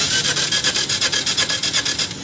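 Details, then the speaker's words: Mitsubishi eK Wagon with code P0303, cylinder 3 misfire, plugs fine: starter cranks in a fast, even rasp about five strokes a second during a compression test; one cylinder shows very low pressure, another over 100; engine also shows blow-by. "आपको बहुत कम pressure है"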